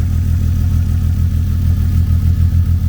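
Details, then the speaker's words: BMW E36 convertible lumpy idle with uneven low thump during coil-unplugging test; unplugging cylinder 6 coil causes no change, confirming cylinder 6 misfire, cause not yet known. "So after pulling all the coil pack wiring, when you pulled cylinder 6, it did not change. So that means cylinder 6 definitely has the misfire."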